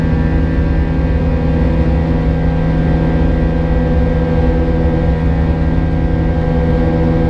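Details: United Airlines A320 climbing out of Houston IAH for NYC LaGuardia, recorded in the cabin: steady buzz-saw engine drone with an added thin, constant high tone from 1:33 until level-off; origin unknown, and the uploader heard it once before in an exit row.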